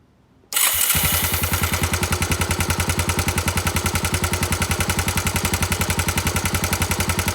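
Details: Honda GB250 Clubman, relatively clean, 40,000 km: after start-up, a fast, even ticking at about three or four per second over the idle; abnormal engine noise, cause unclear.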